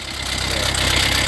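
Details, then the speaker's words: Fiat 500L with engine light and intermittent oil pressure warning, at idle: a busy metallic rattle up top. Suspected stretched, worn timing chain. "okay but obviously that rattling noise yeah that's the chain the chain has be right there chain has to be"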